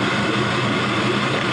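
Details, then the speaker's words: LM7 5.3 L Gen 3 LS V8, 180,000 miles, on an engine test run, near-cold start on a 104 °F day with about 42 psi oil pressure: starts easily into a steady, even idle with a smooth low rumble and no knocks or ticks; engine healthy. "This is going to be as close to a cold start as I can get you because it's August in Tennessee. It's 104. Starts up like a dream."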